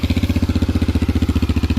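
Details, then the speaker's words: 1987 Honda TRX250 Fourtrax ATV after carburetor cleaning, temporary gas tank: steady, even single-cylinder thump about twelve beats a second with no misses or knocks; clean, healthy idle, problem fixed. "all right so we got the car back in and hook up the gas and try this again so that seems to fix the problem"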